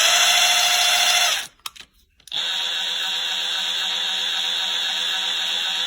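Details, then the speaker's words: Craftsman CMCF940 impact wrench (2023) after gearbox repair and cleaning of faulty speed selector: high whir stops, restarts at lower steady pitch, no rattle; speed selection now works; anvil slightly off-centre, heating to 85°C. "这是最高速度，现在转动已经没有异响了。"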